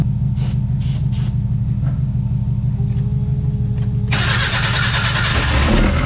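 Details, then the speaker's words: Long-sitting barn-find Mazda Miata: cranks, no fuel delivery and fuel pump not heard priming (suspected pump, fuses or relays); fires briefly with a harsh burst only on starting fluid, good oil pressure. "all right so we think that the fuel pump is either not kicking on which you might check your fuses and relays but uh we're not getting any fuel and we didn't hear it kicking on"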